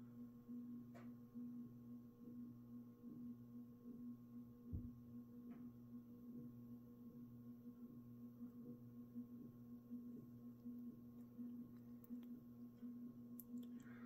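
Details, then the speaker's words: Mid-to-late 1980s 56-inch industrial ceiling fan (possibly HRS): steady 60-cycle hum with a faint uneven tick about once a second; suspected loose fit of the motor's top half in its bearing. "you can kind of hear that this fan does have a 60 cyclic Buzz going to it and I think that is because of the fact that that the top half of the motor is not a very tight fit where it sits into the bearing"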